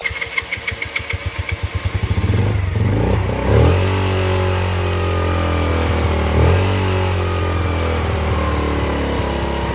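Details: Yamasaki YM50, first start after carburetor cleaning and fuel replacement, in neutral without choke: quick cranking ticks, then it catches and settles to an even buzzing idle with two clean throttle blips; normal start and idle.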